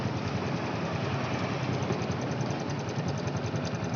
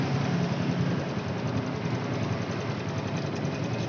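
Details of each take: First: Honda Revo Fit after cam chain replacement, first start: small single idling with light quick "itik itik" ticking because the new cam chain tensioner hasn't filled with oil yet. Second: Honda Revo Fit motorcycle idling after cam chain replacement: a steady, even, smooth idle with no standout tick or knock. The tick heard at first start had become smooth.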